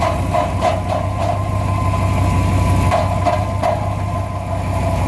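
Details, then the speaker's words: 1999 Dodge Ram at idle: light metallic ticking rattles in bursts, sounding like bad valves, from something loose inside a failing catalytic converter; no visible exhaust hole. "you can get that rattling noise and it's there's no evident hole you see it comes back you hear it sounds like something is loose going like this inside and it really is something loose inside"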